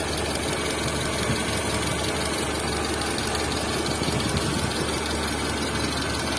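Steady idle with a fine, fast ticking running through it above the engine hum; sounds like top-end valvetrain noise.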